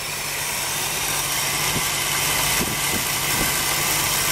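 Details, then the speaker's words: 1974 Ford Bronco idling after new fan and alternator belts were fitted; steady, even idle with a light hiss and no belt squeal or chirp, belts now much quieter, normal idle. "put some new fan belt on it that's much quieter"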